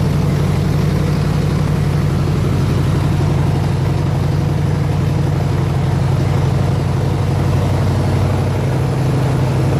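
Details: 302 V8 air compressor engine idling at operating temperature 160 degrees, 9 psi fuel pressure, ignition wires re-ended for the cap: deep steady burble, even firing, no misses, knocks or ticks; normal idle.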